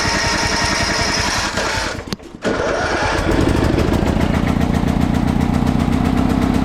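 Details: Free salvaged snow blower, push-button electric start with a jump pack hooked up: rough chatter, a short gap, then the small engine catches and settles into a steady, even run with no misses or knocks; normal running.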